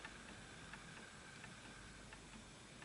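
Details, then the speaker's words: Antique Enfield Westminster-chime mantle clock with pendulum off centre: soft ticking around 87 a minute with uneven tick-tock spacing; misaligned, out of beat, needs centring with the adjusting arms, later stops. "So I'm hoping you can hear that. I can tell that that's misaligned"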